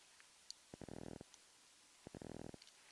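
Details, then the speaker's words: Trike microlight audio recorded on a phone with the key on, after fitting an isolator to cure electrical interference. Faint hiss with short bursts of rapid electrical clicking matching the strobe flashes. Strobe noise is slight, much less than before. "now if we turn on the strobe lights see the strobes are going yeah there's a little bit of stripe noise there if you watch"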